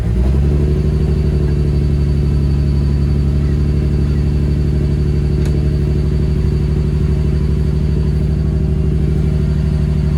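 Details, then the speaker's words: Ford Barra engine with 186,000 on the clock, not cammed, before intake gasket replacement: idle held high near 2000 rpm with an uneven, lumpy beat heard from the exhaust; rough, unstable idle, cause suspected, not confirmed. "Really sort of rough. And you'll be able to hear from the exhaust, but the car is not cammed, and it sounds like this. We've got a very high idle. We've got a high idle at nearly 2k."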